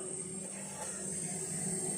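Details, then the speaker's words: Mini refrigerator after PTC relay replacement, compressor running again; soft, steady hiss of refrigerant flowing into the evaporator with a faint hum behind, frost forming, repair successful. "Terdengar suara freon mengalir ke evaporator."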